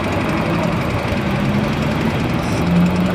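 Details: Yamaha Mio Fino 125 FI scooter at steady idle with a rough, fast ticking over the engine note, persisting after various parts were replaced; worn camshaft decompressor lobe from running low on oil.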